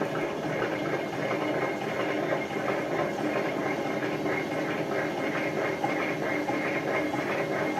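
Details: Hotpoint FEW12 washing machine on spin: heavy rough roar with an uneven throb about ninety times a minute, drum visibly not running straight; badly worn drum bearings.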